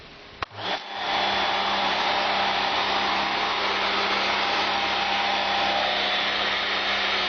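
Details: Domestic Karcher high pressure water cleaner, mains powered, after fixing its leak with replacement part 9036703: motor kicks in and settles into a steady hum under an even, hissing spray, no surging or sputter; runs normally.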